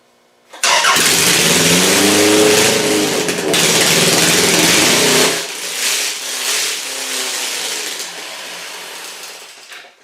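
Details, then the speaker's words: Car with a newly fitted GM distributor runs quite loud, ragged and uneven. Timing is not right yet, the carburetor is not set up and its jets are huge; it sounds rich, with timing about a tooth off and a big vacuum leak. "So timing is not right on the money yet. The carburetor is not set up. The jets in the carburetor are huge."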